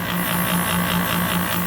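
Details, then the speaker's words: 2003 Kenmore R22 window air conditioner, fan drawing 1.1 A, steady low hum with a pulsing buzz several times a second, compressor rattling; noisy vibrating compressor of doubtful lifespan. "I mean, I don't know how long this thing will last. What do you think with that sound?"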